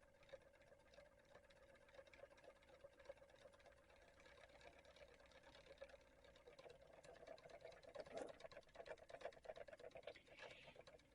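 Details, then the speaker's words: 3D-printed Ferris-wheel-rotor pulse motor driven by a Hall-sensor circuit, iron-core coil, with a light wired to the output. Soft, quick ticking whose pulses crowd closer together as it picks up speed; running fine with good output. "yeah it works great with this little Hall circuit getting some really good output I just Jerry rigged one of my lights onto it and this coil's got an iron core in it yeah it's picking up speed"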